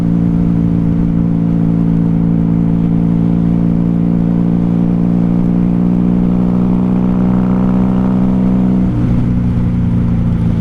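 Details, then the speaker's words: 1994 Honda Magna 750 VF750C riding on reserve fuel after running dry on primary: smooth, steady V4 hum at even pitch, pulling cleanly then easing off; full power is back. "yeah full power's back i'm happy with that"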